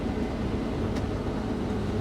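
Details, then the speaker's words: Case combine cutting on steep Palouse hills with separator running: a steady, even, quiet drone with a low rumble and no banging. Sounds healthy after about 5 gallons of hydraulic fluid were added, owner thinks it was low. "now we're cutting sounds fine open the door once you guys hear the machine it's really quiet it just low on hydraulic flood I think"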